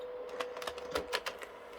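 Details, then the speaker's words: PS3 with a dusty power supply: a sluggish disc eject with irregular clicks, ticks and grinding over a steady hum. The game stops as the eject is detected. "can just see it's a bit sluggish coming out. And that has also now stopped the game because it thinks it's been ejected. Oh, you can hear it grinding as it comes out."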